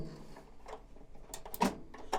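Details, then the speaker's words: High Pointe EM929AQR microwave, newly installed bottom door interlock switch after reassembly: a few crisp, firm clicks as the door works the switch in a quiet room; switch operating normally, though replacing it did not fix the fault (top switch suspected). "Now you notice, and if you listen very carefully, you can hear a nice firm click out of the new switch. Hear it? It's a little teeny thing."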